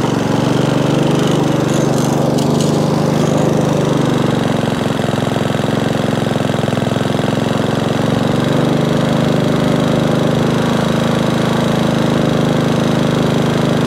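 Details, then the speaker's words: Sovereign lawnmower after spark plug cleaning, heat shield replacement and drive repair: the single-cylinder engine runs steady and even at working speed with no misses or surging, only wind interference from an approaching storm; normal running. "it runs quite sweet what it is as i say they're not an expensive machine i'll do the job"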